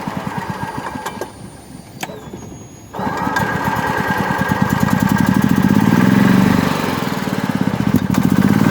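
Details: Golf cart that would not start, after replacing the relay and adjusting the maintenance/operate setting: cranks briefly, catches and settles into steady even single-cylinder chug about four beats a second; normal start and idle.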